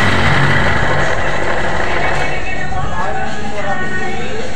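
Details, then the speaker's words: 2022 Honda Beat Deluxe scooter, engine run with CVT cover and front pulley off, roller housing and rollers checked okay; harsh gritty uneven rough internal noise persists, mechanic suspects crankshaft bearing left or right, full teardown planned. "Oke guys, ternyata mesinnya masih berbunyi kasar, jadi kita harus bongkar total ya guys ya. Penyebabnya menurut saya berada di bagian bearing kruk as ya, atau bearing yang berada di tengah kruk asnya yang sebelah kiri atau sebelah kanan ya."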